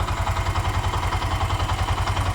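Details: Bajaj BS3 single-cylinder engine, rebuilt with a new rebored bore after the earlier overhaul failed and it drank oil; new air filter fitted. Even low thumping at about eight beats a second with no tapping or rattle; normal idle.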